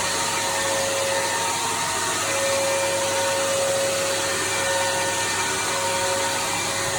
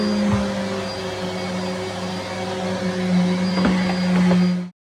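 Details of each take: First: Henry HVR200 vacuum from 2001, recorded days before its motor died after years of trouble. A steady rushing motor roar with wavering thin whistles drifting in and out; the motor is rough and failing and needs replacing. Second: Henry HVR200 vacuum (from 2001) running after motor replacement, new bag and filter fitted: steady, even motor hum at constant pitch, no rattles or grinding, then a clean cut-off. Normal running.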